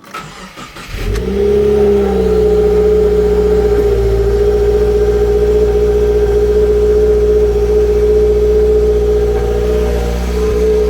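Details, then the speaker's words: MY15 Subaru WRX with MRT Performance exhaust, stock rear mufflers retained, heard inside the car. Cold start: the engine catches, then holds a raised, slightly fat, booming idle. Normal cold-start fast idle, which quiets to near-stock after about 1.5–2 minutes. "so that was a cold start and as you can hear it is a little bit fatty and it is quite booming inside the car"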